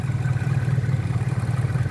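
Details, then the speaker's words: Used Pointer 1.8, possibly cold: low idle around 800 rpm pulses unevenly at about four beats a second with wavering loudness, shaky and rough. The cause is in the harness near the battery. "Si se dan cuenta, vean cómo hace el motor, muy tembloroso, muy pues prácticamente en el arranque también"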